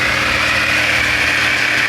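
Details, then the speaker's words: Ford Fiesta after replacing the faulty speed-1 fan resistor (0.69 ohm): radiator fan now on low speed, only a steady, even hiss over a smooth idle with no fan roar; normal. "ninguém percebe Só o barulho normal do motor Tá funcionando"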